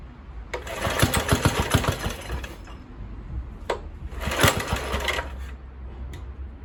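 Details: Kohler K101 engine on old Atco mower after Walbro carburettor cleaning, choke off: ragged uneven firing bursts that fade and restart; only catches briefly, won't run steadily; surging and dying.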